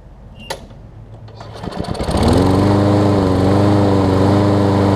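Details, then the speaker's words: Lawn Boy push mower after blade stop cable switch fix and replacement carburetor, warm start (cold it started on second pull): pull-start clatter, then steady even drone with no hunting or misses; normal running. "and just for video proof I'll show you all that it runs it is a warm start but it started on the second pole cold"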